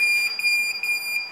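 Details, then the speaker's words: Hi-Con camera recording device (DVR): loud, piercing continuous buzzer near 2.5 kHz triggered by a wrong password entry; a warning sound heard for various errors. "Bu ses hani uyarı sesidir. Farklı farklı hatalarda bu buzzer sesini duyabilirsiniz."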